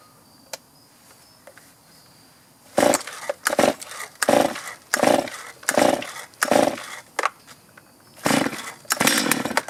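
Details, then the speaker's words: Chainsaw before carburetor adjustment: revs in short uneven bursts that sag and cut out instead of holding high speed. Bogging under throttle, possibly from a poorly adjusted carburetor. "These symptoms could be signs of a poorly adjusted carburetor. In this video, I'm going to show you how to properly adjust a chainsaw carburetor for maximum performance."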